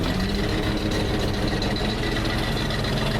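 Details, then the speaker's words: 1977 Ford F350 wrecker with twin-screw winch: a deep, steady V8 rumble holds an even idle with no misses or knocks while it warms up; normal warm-up idle. "sounds like it's warming up a little bit too"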